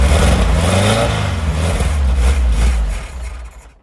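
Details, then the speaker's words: 1970 VW Type 2 Bay Window, 1641cc air-cooled engine, not started for about 6 months, using starting spray, suspected congealed fuel and dirty fuel filter: long uneven laboured cranking, fires a few times, almost catches, then dies; not starting. "almost almost [Music] oh come on go just when she sounds like she's gonna [Music] [Applause] [Music] still not happy"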